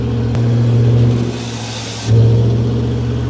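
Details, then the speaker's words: Garage-find Rover P6 3500 V8: deep even rumble rising and settling with the throttle, no puffing or ticking; exhaust not thought to be blowing, maybe slightly. "don't even think the exhaust is blowing might be a little but normally they blow it out the middle aren't they"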